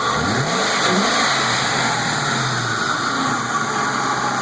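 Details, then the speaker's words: 1999-04 Ford Mustang GT 4.6 2V after engine replacement, free revving: smooth even note climbing and settling, no knocks, ticks or noises, runs and drives good. Normal revving. "Runs good, no noises, sounds great."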